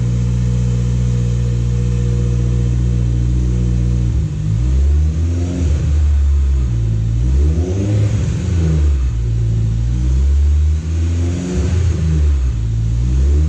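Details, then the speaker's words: Supercharged Honda S2000 (~407 whp) after Clutch Masters FX350 clutch install: smooth steady idle then three clean rev sweeps without misses or knocks; engine healthy. "So, there you have it. Clutch Monster FX350 installed, ready for beast mode."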